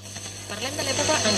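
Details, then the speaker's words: Telefunken Hymnus AM/FM/shortwave radio-phonograph during FM alignment, after power transformer and IF coil repairs: FM received poorly, crackling hiss over steady low hum with wandering whistles, sometimes cutting out; FM crackling from poor valve socket contact, not the IF. "seguimos con el reglaje de la FM ya empezamos a escuchar FM pero la escuchamos deficientemente si os fijáis hay como unos chasquidos de"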